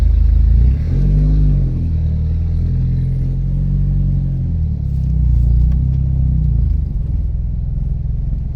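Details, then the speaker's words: Big-turbo Audi A4 B7 1.8T 20V after a dyno run, with oil and filter changed and head components re-torqued; driving on cold oil at 3 bar pressure: deep rumble with an uneven knock as revs rise and fall. Noise persists; bearing knock suspected, not confirmed. "That's good, but the noise still persists. So yeah, I'm sure that you heard it."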